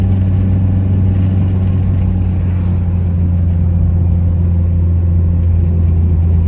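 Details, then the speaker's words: Mitsubishi Evo 8 MR turbo four after engine swap, driving under way: deep steady drone at even pitch, boosting fine with audible blow-off valve, no knocks or misses; normal running under way. "all right boys so we driving her now she seems good it runs good it boosts fine you can hear the blow off"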